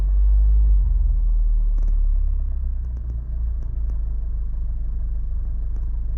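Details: Brand-new Honda Civic FK8 engine: deep rumble carrying a dull, regular knock about three to four beats a second; engine knocking.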